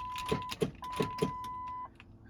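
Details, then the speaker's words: 2000 Ford Excursion 7.3L Powerstroke diesel, low power complaint, just back from transmission shop; about four loud clicks half a second apart with chime, no cranking; click seems too loud for a battery voltage issue, cause unconfirmed. "it sounds too loud of a click to be a battery voltage issues unfortunate"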